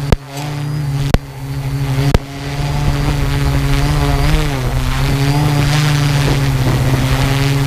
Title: strange noise from go pro and quadcopter